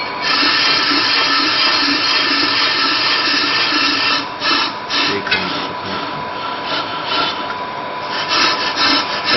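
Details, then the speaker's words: Brake disc being machined on-car with Pro Cut on-vehicle lathe, rough cut: cutting scrape comes and goes about twice a second instead of steady, intermittent cut showing distortion and misalignment; brake disc runout needing machining. "Well, you can hear a clear intermittent cutting sound which shows that there is distortion and misalignment on this disc."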